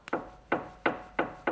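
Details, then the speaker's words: Rebuilt 5.0 supercharged V8 Range Rover L405: five sharp, dull knocks as the front lower suspension arm is loaded by hand, the same knock heard when driving. Worn arm; both lower arms to be replaced. "This is what I hear when I'm driving. Now, Alex on the passenger seat, she cannot hear it, but I can. So it's definitely this one."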